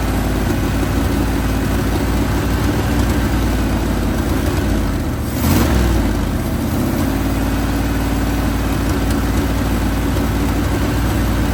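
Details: 1980 Chevrolet Sierra Grande K1500 truck that sat 22 years, with a new distributor and tensioned belts. Even low V8 idle with one brief throttle blip midway, settling back smoothly with no obvious miss. Normal idle.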